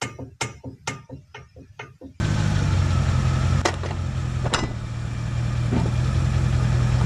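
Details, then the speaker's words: Car driveshaft universal joint (cross) with four needle bearings, worn from age and use: sharp knocks several per second, then a low drone with occasional clunks as it turns. Worn U-joint needle bearings. "Estos baleros con el tiempo y con el uso se dañan causando que se pueda escuchar y observar algo así."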